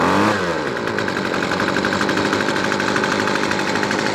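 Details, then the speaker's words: Weedeater Featherlight SST25 25cc two-stroke trimmer, previously hard starting and dying, started in three pulls after carb kit rebuild: high steady even buzz; runs but still needs tuning. "Alright guys, literally 3 pulls later, this thing fired up. We're going to have to do some tuning."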